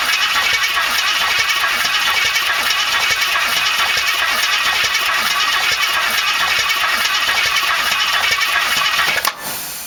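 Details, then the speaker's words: 1968 AMC AMX 401 V8 after replacing a lifter on cylinder 2 that was worn through to the oil hole and causing a miss: steady, even run with busy top-end lifter chatter, no dropped beat, all eight cylinders firing. "just oil up this stuff that ought to be good enough it sounds much better"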